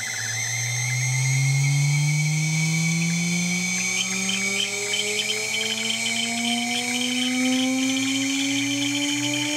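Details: 2.2 kW water-cooled spindle under warranty: high squeal climbing as it spins up, with faint chirps above; owner suspects bad bearings, unconfirmed.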